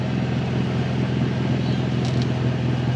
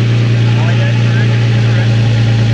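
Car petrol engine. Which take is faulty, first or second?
first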